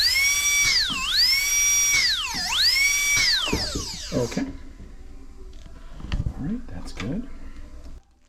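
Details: DCI 6310 foot pedal dental delivery unit, handpiece run on channel three before gauge check: high thin whine sweeping up and down with each pedal press, settling smooth and steady at top speed; normal.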